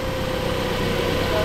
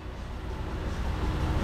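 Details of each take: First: 2006 Toyota Yaris at idle with headlights on high beam, radio and blower on full: voltage down to 11.98 V, not charging, and a steady high singing whine from the failing alternator; replacement recommended. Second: 2006 Toyota Yaris after a new alternator and new battery: smooth, steady idle with no alternator whine; charging now reads about 14.08 V.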